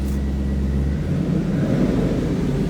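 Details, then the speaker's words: 2002 Chevrolet Camaro SS convertible V8, 20,985 on odometer, right after a cold start: deep steady rumble, smooth even beat, no ticking or knocking, throaty exhaust; normal cold start idle. "Gauges working and that was a cold start as you can see."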